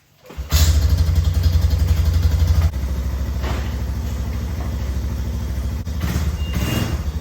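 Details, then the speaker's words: 2001 Yamaha BearTracker 250 single-cylinder ATV that sat for a couple of years, with an intake boot vacuum leak temporarily sealed with duct tape. It fires up and settles into a steady, even thump with no hunting, now running much better. "It's definitely running much better."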